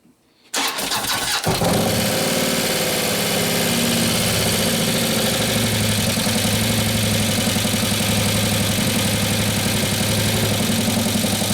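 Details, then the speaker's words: 2015 Harley Road Glide FLH 103ci Twin Cam first start after a camshaft install: the engine cranks and catches, then a loud, fast, even ticking sits over the idle while the hydraulic lifters pump up. Lifter tick on startup. "I don't easy out the real high European running black until the lifters pump up but this mother is I got no control over our cam"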